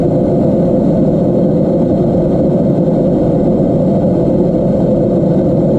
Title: Geladeira fazendo barulho estranho Descubra o motivo!